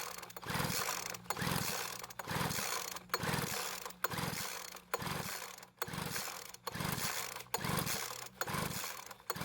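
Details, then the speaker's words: Poulan Pro leaf blower that ran one day but wouldn't start the next: with fresh mixed fuel poured into the spark plug hole, about 20 rope pulls, one a second, whir it over but it never fires. Probably not flooded; fuel, spark and compression later found present. "unfortunately after pulling the Rope about 20 times it didn't start"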